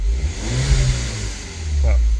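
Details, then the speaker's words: Mini in Tahiti after relay and sensor repairs, long-sitting, only 15 L fuel: engine revs and sags unevenly, running rough; suspected dirty injectors, may improve with driving. "Brû et là ça broute. Ouais ça ça broute. Et il doit y avoir encore peut-être de Les injecteurs, ils ont pris de la merde."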